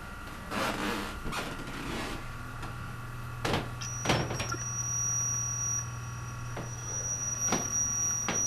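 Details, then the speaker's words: Canon DC100 DVD camcorder recording to its DVD disc, with earlier disc-recording trouble: faint ticking, then a thin steady high squeal joins partway through; a mechanical squeal from the disc drive whose source the owner is unsure of. "I'm also not really sure what's making that noise. Hopefully the recording will turn out. It won't just corrupt everything."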